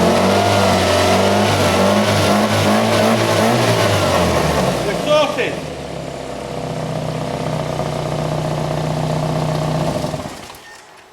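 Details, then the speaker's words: 1991 Toyota Carina II, warmed up, idling after a service: steady, even idle with no missing beats, so plugs are fine, but a sharp puffing tick on each exhaust pulse reveals an exhaust leak. "Now obviously, apart from the exhaust leaking, that engine is ticking over okay. If you had a problem with one of your plugs, it would be missing."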